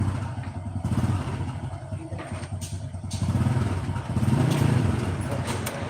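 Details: Bison motorcycle with a rough engine and a "tek tek tek" ticking. Small single idles with an uneven, chattering tick over the exhaust beat; source not yet pinned down. Teardown afterward finds dirty oil, red sealant and missing bolts.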